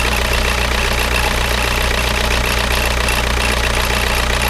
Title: Škoda Octavia 1.9TDI 81kW problem - strange noise/ damage